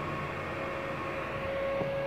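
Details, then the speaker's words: Lakoni 120e welding machine after repair of a total failure where the fan would not run: steady even whir with a thin tone over a smooth airy hiss, green light on; cooling fan running normally. "Oh ternyata udah hidup ini jadilah ya lampu hijau dah nyala Hai terus kipas juga udah muter ya di sini kipasnya"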